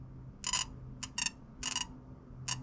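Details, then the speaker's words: Project car ignition test: jumping the two pickup wires at the ignition box gives sharp, crackling spark snaps, so the box works. The no-spark fault was pickup wires not connected to the distributor. "You guys can probably hear that. So, at least I don't have to go any farther into the ignition system."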